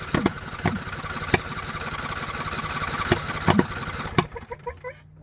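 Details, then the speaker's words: John Deere LA120, owner thinks a 21 hp Briggs twin, full throttle, fuel filter still mostly empty: a weak, uneven note broken by irregular exhaust pops about once a second, then it stalls; the owner suspects a valve clearance problem, unconfirmed. "she's really popping out the exhaust valve so really sounds like we have valve clearance issues going on"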